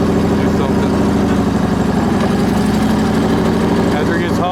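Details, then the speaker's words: Onan BF-MS 16hp twin with DD11 carb, after the pulse fuel pump was rebuilt: steady, even idle with a smooth low drone, no knocks, misses or surging. No leaks, slight smoke on startup, ran fine half an hour, slightly low on oil. "So I ran this thing for about a half hour or better. And then someone stopped, so I had to quit. But it ran fine. Everything was perfect."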